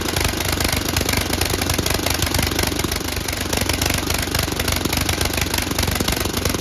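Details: Tecumseh HM80 engine on an MTD Snowflite 8X26 snowblower after carburetor replacement, primed, no flooding: rapid, even, fast putter with no surging or dying; running normally.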